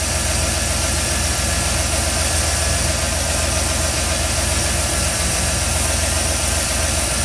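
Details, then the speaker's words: 1987 Ford F-350 V8 after FiTech fuel injection install, at idle: quick light ticking about 220 a minute; rockers loose, non-adjustable, owner thinks longer pushrods needed. "you can hear my uh rockers are a little loose on this thing i i think i need longer push rods"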